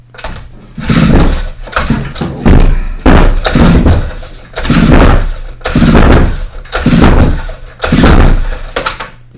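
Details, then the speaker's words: Earthquake E45 engine unrun for three years, plug out with compression tester fitted, cranked 4–5 times; rough, regular pull-cord strokes with firm even chuffing; gauge reads 145 psi, good compression. "Alright, don't know if you can see that gauge, but that gauge says 145 pounds per square inch. So she got good compression, and that's so far the best news I've heard."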